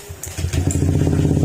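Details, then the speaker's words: Honda Click scooter after repair for oil starvation. Following a short rough catch it settles into an even, steady idle; the earlier rough noise and cricket-like connecting-rod sound are gone, now quiet and healthy. "Okay, ayan mga sir, tahimik na, hindi na siya gar-gar, hindi na rin siya tulog connecting rod na parang kuliglig. Ayan, tahimik na uli."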